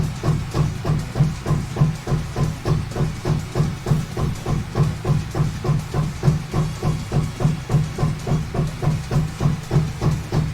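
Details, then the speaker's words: Anycubic Photon M3 Max resin printer after fitting a Wham Bam plate without the needed spacer: low rhythmic thumping about three per second while homing; owner suspects it thinks it's higher than it is, so the Z-axis stepper skips. Fixed with a custom spacer. "Let's just finish it doing that because I think it thinks it's higher than it is."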